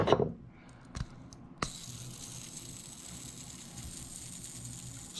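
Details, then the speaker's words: Oversized bearing for an Arrma Limitless RC car's new Vitavon diff housing, spun by hand before installation: quiet, even whir with no grit or clicks; smooth-spinning bearing. "just listen to that bearing smooth"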